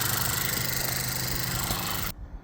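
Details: VW Jetta MK6 2.0T TSI at idle after a high-pressure fuel pump replacement; it formerly would not start or stay running well, worse in cold: steady, even idle with a smooth low hum, no misses, ticks or knocks before shutdown; no leaks.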